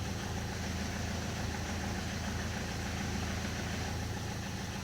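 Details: Peugeot 206 HDi diesel idling with newly fitted Helix organic clutch kit, clutch pedal released: light uneven rattle over the chug that disappears when the clutch is pressed; clutch pressure plate splines rattling on gearbox input shaft.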